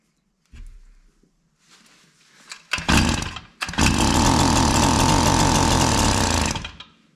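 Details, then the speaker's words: K&S bike-machine two-stroke engine on an older Schwinn bicycle, 32:1 mix, no fuel in tank; fuel squirted in, catches after a couple of pulls, buzzes high and steady about three seconds then dies, running briefly only on primer fuel. "Squirt a little bit in here. It's 32 to1 on here. That was plenty, huh? Well, look at that. That's pretty cool."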